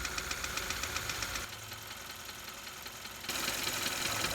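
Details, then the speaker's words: Engine at idle, stethoscope on the valve cover: sharp, quick tapping about four per second, loudest at the valve area, pinpointed as valve lifter ticking; low oil level to be checked as a possible cause. "All right, so it looks like we've pinpointed a problem. It's coming right here from around the valve area here, which is a pretty good indication that it's with the valves, the lifters in that area there."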